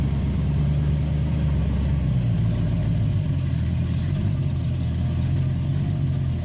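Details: Ford 302 V8 in a 1966 Bronco with a Lunati Voodoo flat-tappet cam, headers and Cherry Bomb Vortex mufflers, after a faulty lifter was replaced; an even, deep idle rumble with the lifter tick gone. Normal idle.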